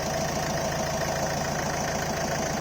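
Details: Ford Figo 1.4 TDCi Duratorq diesel, cold idle: quick even static-like ticking over a slightly uneven beat with occasional misfire, vanishing at normal temperature; also hiccups under heavy acceleration, no smoke; cause unknown.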